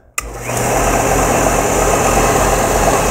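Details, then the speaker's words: 1970s Craftsman belt grinder, first test after a motor mount modification: a switch click, then the motor spins up within half a second to a steady, even whir, running smoothly and solidly, far better than before. "Oh my God, that thing is working perfect. Yes. That looks really solid, way better than it was."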